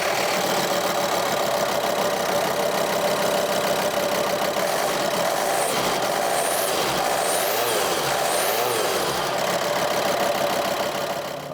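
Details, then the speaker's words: VW Transporter 2.5 TDI PD diesel, after replacing the camshaft and worn lifters that caused very loud cam noise; even, steady idle clatter with no knocking or ticking; now sounds like a normal 2.5 TDI. "Compared to earlier, it actually sounds like a normal 2.5 TDI now."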